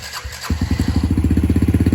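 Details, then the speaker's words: 2019 Yamaha TTR 50 that previously ran only on choke until warmed 10–15 minutes, after carb work: quiet half second, then fires immediately on the kick with choke off, settling into an even putter; idle now richer, may need adjusting. "Look at that. No choke. We may have to adjust the carb a little bit because now we have more fuel on idle."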